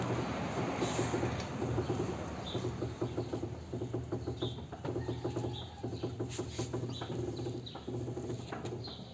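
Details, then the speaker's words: Creaking heard only when turning the steering wheel: repeated low groaning creaks in short bursts from worn, rusty sway bar links; separate play comes from the ball joint and strut mount. "mas acho que deu para escutar o barulho tipo rangido aquele barulho tipo rangido vem das bieletas"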